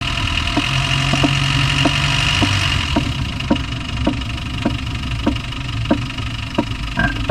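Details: Land Rover Discovery 1 300Tdi diesel at idle: a sharp, regular tap about every half second over a steady diesel idle, a clear knock from inside the engine. The cause is unknown; engine knock at idle.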